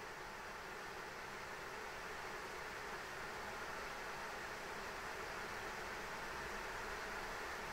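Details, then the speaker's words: ASUS ROG Strix RTX 3090 fans stepped from 40% to 100% in 10% increments: steady even hiss, no ticking, grinding or wobble, barely audible until about 60%; normal fan noise at full speed. "but even at this distance uh until 60 I I I really can't hear it so that's that's nice"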